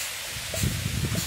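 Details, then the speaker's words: Shop air compressor with a burst start capacitor, tripping its thermal breaker: a steady thin hiss under faint rustling from a small compressed-air leak, suspected of hurting the compressor's charging, to be traced later. "también notamos que hay una pequeña pérdida [Música] se escuchan"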